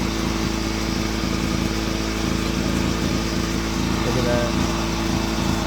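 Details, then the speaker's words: Honda EX350 generator started after sitting a while, with fuel added, running under load on a Kill A Watt meter reading 129 volts and 58.6 Hz: a steady, even buzzing drone at constant pitch with no misses or knocks. It is running healthy. "let me get my kilowatt all right we got it plugged in 129 volts 58.6 Hertz"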